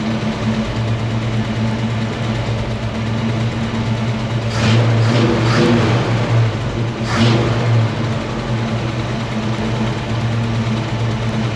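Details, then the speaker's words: 1968 Mustang 302 V8, first start after installing a Pertronix Flame Thrower distributor and coil with Moroso plug wires, timing near its previous mark: even idle with a couple of quick throttle blips returning cleanly to a settled idle. Idling happy. "It sounds like it's idling happy."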